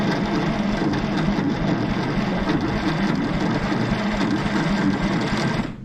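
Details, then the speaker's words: 1960s Galion grader ("Christine") on restoration: dense, labored cranking that never catches; the starter turns the engine slowly, likely needing a rebuild, and a spark issue is suspected. "it never did crank real fast before come on christine she need a little"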